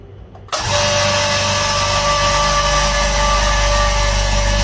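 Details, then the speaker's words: New Hyundai oil-free silent air compressor on its first run: the motor kicks in abruptly, then a steady, loud buzzing drone with no knocks or stalling. It pumped up to about 7 bar in 2 min 33 s, running normally. "okay that's taken two minutes 33 seconds right so it's pumped up to about seven bar"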